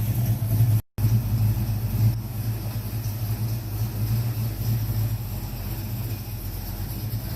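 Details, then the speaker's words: 1970 Mach 1 clone V8 after a Holley 600 carburetor gasket rebuild, restarted and idling with a deep, steady, even rumble, no stumble, miss or hiss; sounds good. "all right let's start her up sounds good so"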